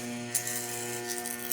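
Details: Trooper angle grinder/polisher that sparks heavily and loses power, armature on a growler with hacksaw blade: steady mains hum, blade buzzing and rattling over shorted coils; shorted armature coil, rewind needed.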